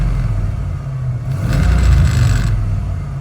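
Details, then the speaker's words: 1991 Ford Bronco 5.0 fuel-injected V8, 5-speed, after fixing an O2 sensor code 41 lean fault: steady low idle, then one short blip that comes right back to a solid 700 rpm without hanging. Normal idle with clean rev return. "comes right back down 700 solid"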